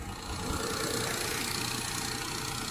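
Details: Perodua Viva after replacing a damaged ignition part, previously shaking hard like a misfire, with rpm hunting when the aircon is on: steady, even idle with no stumble or shake; normal idle.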